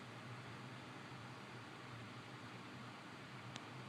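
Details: 1980s Windmere 12-inch table fan model DF-12, restored, running up to speed: soft even airy hiss over faint steady hum, no ticking or scraping; motor runs smoothly.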